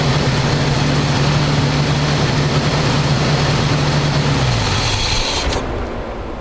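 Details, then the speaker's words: 1985 square-body 454 big block, 4-speed, sat 20 years, oil and filter changed, engine really hot after idle-screw adjustment; holds fast steady idle that won't settle, drops off near end. High idle. "R doesn't want to seem to idle down that's hot that's really hot"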